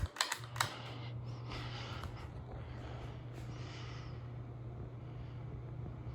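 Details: 36-inch Hampton Bay San Marino ceiling fan from January 2002 in kitchen, repaired after a dead capacitor, switched up to high; switch clicks then steady low motor hum and soft even airflow, running smoothly.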